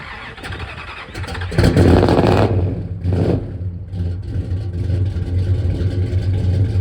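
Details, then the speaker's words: 1967 Dodge Coronet V8, sat about 30 years, running on open headers with no exhaust before Flowmaster exhaust is fitted: deep, loud, lumpy, unmuffled idle with a sharp blip. "know, it has open headers, and then we have getting some Flowmaster exhaust put on, and it'll sound a hell of a lot better, run a lot better, and maybe my feet will stop getting so hot."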